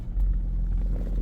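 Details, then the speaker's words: 2004 Acura TL (original Honda ignition switch) after replacing the bad switch that caused buzzing and 2–3 cranks to start: engine catches at once and settles into a low, even idle with no buzzing; normal start and idle. "Starts right up. So it was a bad ignition switch."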